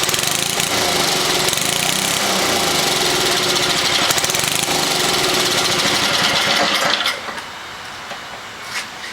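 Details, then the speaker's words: 1979 Toro 524 snow thrower small engine, restart: races fast and rough, never settling to idle, then cuts out; owner thinks the throttle was reset too high during disassembly. Stuck open throttle. "No. At this point, I'd say the throttle, when I took things apart, something happened with the throttle that got it reset to be a little on the high side."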